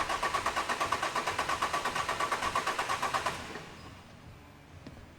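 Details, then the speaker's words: Turbodiesel cranking with injectors unplugged, crankcase pressure at dipstick and current-clamp relative compression test: starter cranks about three beats a second; one cylinder reads lower, low compression suspected of causing blow-by and oil in intake hoses. "Straight away to the naked eye we can see this one here is lower, then 1, 2, 3, 4, lower, 1, 2, 3, 4, lower, 1, 2, 3, 4, lower. So we do have a low compression cylinder,"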